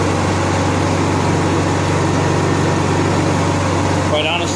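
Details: Honda EXW171S welder generator, sat in a barn over 5 years, run indoors after choke warm-up: steady, even hum at one speed with no knocks or misses; normal running, healthy.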